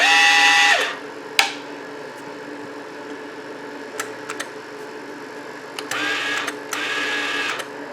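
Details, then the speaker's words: Repaired burnt-up DC-converted fluxcore welder, with the rectifier rewired, has its wire feed turned down from 10 to minimum. It gives short, smooth motor whirs at a steady low pitch with no catching or grinding: normal wire feed at minimum speed. "you can hear the feed is working it's all the way up on 10. put it on minimum"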